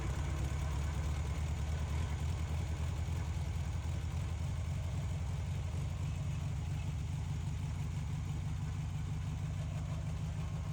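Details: Volkswagen dune buggy air-cooled engine, abandoned long near the beach and badly rusted, restored with coil and lines reconnected: steady low chugging idle with an even beat throughout, no knocks or stumbles; runs smoothly and sounds healthy.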